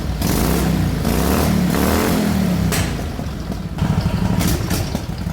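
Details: Racing lawn mower single-cylinder after moving the AFR sensor from intake to exhaust, richer carburetor needles and battery at 12.8 V: revs up cleanly, then a steady putter with no stalling; now starts easier, revs higher, runs smoother.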